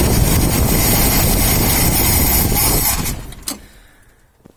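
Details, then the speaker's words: 1972 Ford XY Falcon factory 4x4 ute, priming with fuel poured into the carburetor: starter cranks steadily about four beats a second with no catch or firing, then stops; cranks but won't start, owner suspects not enough fuel. "getting fuel not quite yet this is on Oh well sounds like not enough fuel not hearing bubbles"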